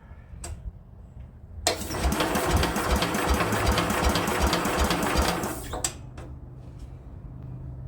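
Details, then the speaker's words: Speedex 1630 garden tractor with a new carburetor and a belt-driven starter, engine likely not original: about four seconds of steady starter churning at roughly two to three turns a second, with no firing. Cranks but won't start. "Looks like it ain't even wanting to hit."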